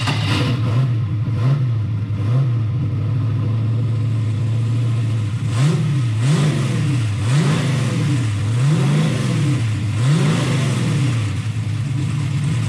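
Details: Turbo LS V8 Mustang fired up and pulled out of the shop on its own power: deep burble rising and falling in smooth repeated revs, clean with no knock or misfire; engine running healthy.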